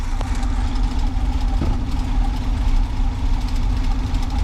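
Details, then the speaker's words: 1979 G10 van after sitting, cold-started in winter with fuel poured down the doghouse, choke off: low, uneven lumpy idle, running rough but staying lit, smoking heavily. "But hey, she's running in the cold. Choke's off. She ain't happy about running, but she is running."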